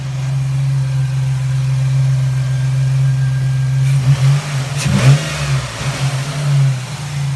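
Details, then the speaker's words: 2006 Jeep Liberty after replacing cylinder 3 coil and plug, previously stumbling and misfiring without codes: deep steady engine hum at an even pitch with no stumbles or dropouts for several seconds; running a lot smoother. "yeah, it's a lot smoother."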